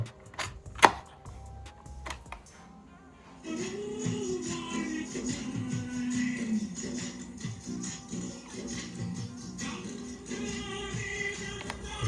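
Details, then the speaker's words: Sony TCM-150 Walkman cassette player, market-bought, playing after head cleaning: music drags low-pitched and sluggish, tape running very slow; suspected worn belt or motor speed needing adjustment (belt later replaced). "செம ஸ்லோவா ஓடுது ஒன்னு belt இதா இருக்கணும் இல்லன்னா motor speed வந்து adjust பண்ணனும்."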